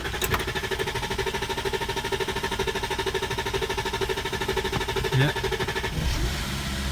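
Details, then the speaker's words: VW Touareg with a hard-start problem, injectors already done, owner suspects a relay or sensor, slow even cranking about two turns a second for several seconds before catching; long crank before starting. "That took so long. I think tomorrow I might take it to a garage."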